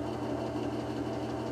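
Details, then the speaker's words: Lubricant test rig running unloaded with AFO concentrated refrigerant oil, drawing 5.1 amps, decibels maxing at 97: even motor hum with a steady fast rhythmic pulse, no grinding or strain. "So what we can see is, starting out, we have an amp meter that's showing we're at 5.1 amps unloaded."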